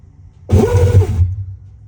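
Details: Whirlpool/Maytag top-load washer commanded into spin with lid locked: short rough whirring as the clutch engages, then low motor hum while the tub and wash plate never turn, because the tub drive hub splines are stripped.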